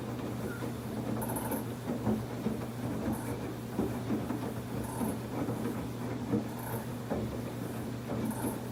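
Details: Samsung WF1124 front-loading washer: low motor hum with irregular clunks, rattles and a brief squeak every two seconds during the wash. The drum noise is growing more frequent; once it was loud only on spin, now it is loud while washing too.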